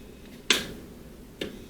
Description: The switch makes strange sounds and the light flickers.